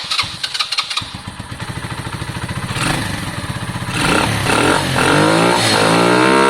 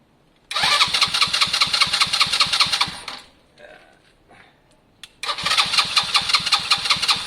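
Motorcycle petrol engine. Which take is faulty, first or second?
second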